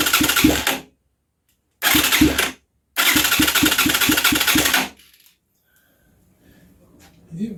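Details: Huaniao HN125 Chinese motorcycle, owner believes it is in neutral: short bursts of quick starter cranking, about three pulses a second, never catching; cranks but won't start.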